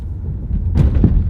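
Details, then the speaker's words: Small 1.4 turbo car driven over speed bumps at about 15 mph: front suspension damps well but the rear gives dull low thuds, a clunk each bump, pointing to weak, worn rear suspension. "we're going to go over these speed bumps and we're only going like 15 miles an hour and you'll see the front isn't bad but the back really clunks"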